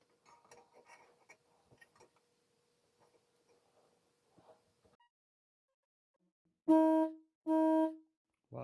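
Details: Mid-1930s trumpet horn set from a Model A, tested on 6 V: two strong, steady, mid-pitched brassy blasts with clean cut-off. Normal horn sound.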